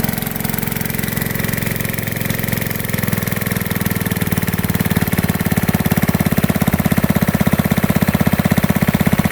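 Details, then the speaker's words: Gold dredge pump's small single-cylinder engine with cleaned carb and fresh gas, running with just a short piece of hose. It idles with a steady, even beat of about two pulses a second, no misses or stumbles. It idles normally. "so now I only got 45 feet but it idled pretty good with just that short piece of hose"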